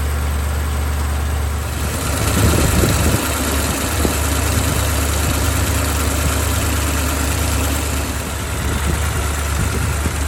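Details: BMW X5 E70 with the drive belt removed: smooth, even low idle with a slight rise in revs and no rattle or ticking, confirming the front-engine rattle came from the water pump's worn bearing, which has play on its pulley.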